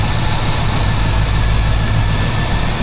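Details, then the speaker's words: Chevrolet C10 truck with a 350 small-block V8, during restoration: deep, loud, lumpy idle burble with no knocks, ticks or squeals; sounds healthy. "she runs. She sounds good."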